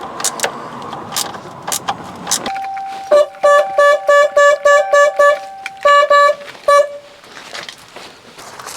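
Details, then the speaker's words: 1990 Corvette C4, a 30-year barn find, with its horn tested after being refitted where a mounting bolt seemed loose; owner suspects poor grounding through the bolt stopped it working. Short, clear honks at a steady mid pitch, each sounding cleanly. The horn works again. "well, that looks like it's come back to life. So, I'm going to plug the other side in and listen to them both."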